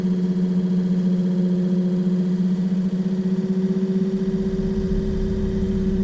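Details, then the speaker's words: Excursion/Bison 24V 86lb-thrust trolling motor after brush holder replacement and new seals, tested while speed is stepped up; smooth, even hum climbing slightly in pitch with no grinding, running normally. "It's speeding up. So we'll pass back to centre again, it'll slow down."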